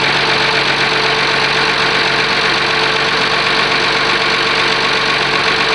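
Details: Oliver 1850 diesel tractor after a genuine cold start at about 45 degrees (not plugged in, preheater uncertain): steady idle with an even clatter and constant hum, no misses or knocks. Normal diesel idle.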